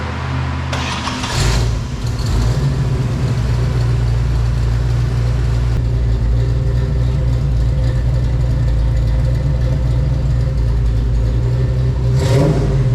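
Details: V8-swapped S10 with a rebuilt 750 Holley Double Pumper, after fixing a base plate gasket whose holes didn't line up: deep, lumpy idle holds steady with a couple of short blips, no stumbling; the engine now idles normally.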